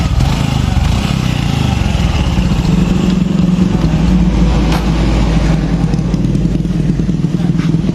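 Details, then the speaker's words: Honda Revo Fit fuel-injected motorcycle at idle, before repair. A steady tok-tok knocking comes from the right-side clutch cover area, possibly worn centrifugal clutch shoes. "ini dengan permasalahan bisa teman-teman dengarkan sendiri tadi saat posisi stasioner di bagian mesin area bagian kopling di sini ada bunyi ya"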